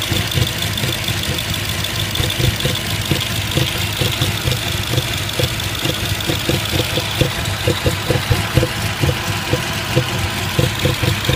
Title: 2005 A6 C6 Cylinder 1-3 misfire 2